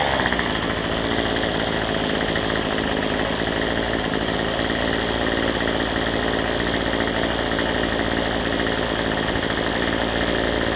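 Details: Cheap two-stroke weedeater number 3 after a new $6 replacement carb with the correct gasket orientation and fuel lines fitted: steady, even buzz holding one speed with no stumbles or surging; runs clean.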